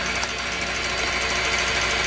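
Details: Cooler Master RP-500-PCAR ATX12V 500 W power supply (no PFC) in a custom PC: a loud, harsh rattling buzz over the fan whoosh with uneven stuttering chatter, the fan visibly stuttering; a failing power-supply fan rattle.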